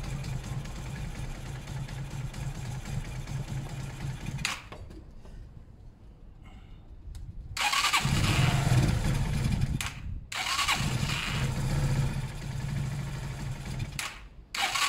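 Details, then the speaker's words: Zontes 125 motorcycle warming up on full choke; idles, then dies abruptly each throttle blip and is restarted twice; owner believes carb is blocked again despite a filter, fuel starvation. "that's exactly what was happening yesterday touch the bowl cuts out yeah but it was working with me up the idle bit it was working just a minute ago with full choke that leads me to believe that the car was blocked somehow again"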